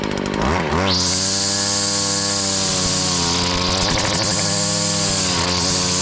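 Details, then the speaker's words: Stihl FS70R trimmer after repair of bogging and low power: too much oil in the fuel mix had clogged the spark arrestor and gunked the carburetor. Spins up fast and holds a steady high even whine cutting vegetation, no sag; runs strong. "but we got it back up and run as you see it cuts well nothing else to be said"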